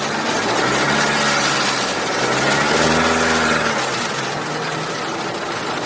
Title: Cruze 1.8 ticking and squeaking noise